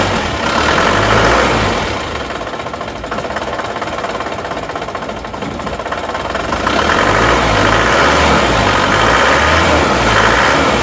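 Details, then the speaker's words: Isuzu Panther diesel at idle, injector nozzles already confirmed working: lumpy limping beat, about four pulses a second, shaking badly as one cylinder misses; compression and valve clearance to check. "Oke, jadi goyang seperti itu, ini pasti ada"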